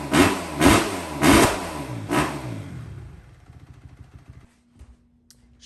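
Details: Kawasaki KX250F four-stroke fuel-injected dirt bike after replacing the fuel pump filter to cure lean bogging and backfiring: four crisp throttle blips rising and dropping cleanly, no bog, runs normally.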